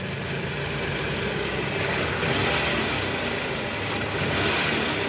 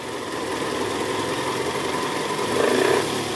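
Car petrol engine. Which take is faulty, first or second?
second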